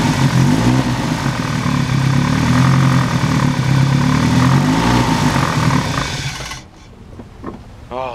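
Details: BMW E30 "Betty" after all three belts were replaced and tightened; they had squealed like a wild turkey before. Steady low engine hum, no squeal or chirp from the belts, running evenly before it drops away; normal running, no belt squeal.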